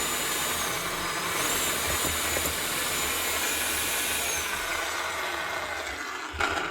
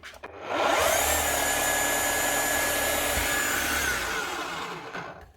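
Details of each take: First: Makita HR5211C rotary hammer, over 10 years old, runs but won't hammer: motor spins up to a smooth light free whir with no hammer blows; broken connecting rod, piston not moving. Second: Makita HR5211C rotary hammer, over 10 years old, after repair with replaced broken conrod and new O-rings: motor winds up smoothly to a steady high whine, holds speed, spins down cleanly; running normally.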